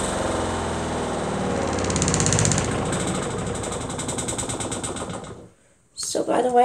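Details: RV washing machine's spin dryer running, water draining out during spin: even whirring with a steady rhythmic swish, no knocking or scraping; normal spin cycle.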